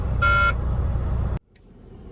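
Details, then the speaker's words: Semi truck idling in the yard before first trip: short steady warning buzzer tone over engine drone, then cuts; maintenance blames an unidentified sensor, buzzing constant and unresolved. "Turns out they have no idea what's going on with that sensor. Buzzing is constant and won't stop."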